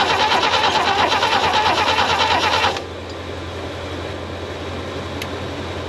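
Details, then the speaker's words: Abandoned Holden ute parked for decades, cranked with fresh fuel on the second attempt: starter turns over evenly for about three seconds and stops without catching; cranks but does not start, slowly improving. "I think the little bit oil in that two-stroke this is so tired it just couldn't fire listen to this it's getting better I'm not saying it's going to run I'm saying it's getting better"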